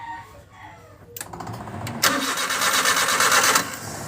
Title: Engine crank but won't start Suzuki F6A 12 Valves |Trouble shoot